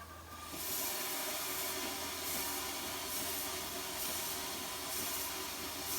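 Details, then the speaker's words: Allen Mogul live-steam locomotive after silver-soldered piping repairs, throttle open: steady air hiss with soft, even exhaust puffs a little under once a second; normal cylinder exhaust beats. "you can hear the stack talk is what they call that the sound of the cylinders that's exciting"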